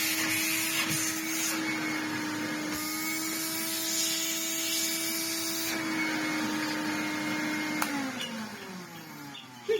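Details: Vintage Hoover Hooverette 2944b vacuum, first run after fitting a new plug to the cable: steady, even mid-pitched motor whine with clean airflow hiss, then winding down at switch-off; runs fine.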